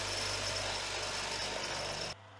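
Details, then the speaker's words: Home-built CVT (Reeves drive) with spring-loaded motor-shaft pulley on a restored lathe, run unloaded: loud busy metallic chatter running steadily then cutting off sharply; builder says it was quiet with the pulley closed up; rattle from variable-speed belt drive. "now that might sound a lot worse than what it is"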